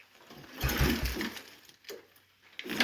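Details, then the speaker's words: Old Yamaha Kodiak ATV, long stored: short pull-over bursts with gaps, no catch; cranks but won't start, possibly insufficient crank amps from battery, spark seen earlier; jump start planned. "Nope, not going. There just might not be enough crank amps on that. I don't know. I mean, it sounds like it's pulling it just as hard as you are."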